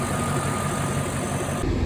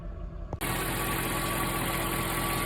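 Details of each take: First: Mercedes E420 V8 idling while warming up after a valve-noise treatment: steady, even low rumble with no misses or stumbles; idles dead even, possibly the best idle since ownership. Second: Mercedes E420 V8, warm at idle after a drive and after treatment for valve noise, faint steady whine and light ticking over the hum: valvetrain noise seems gone but an unidentified abnormal noise remains.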